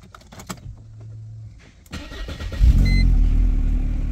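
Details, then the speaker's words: 1998 Mercedes SLK230 R170, M111 Kompressor, after crankshaft sensor replacement and K40 relay resoldering: catches after a couple of cranks, flares, then settles to steady idle without hunting; idle speed issue fixed. "Okay, the idle speed issue is solved"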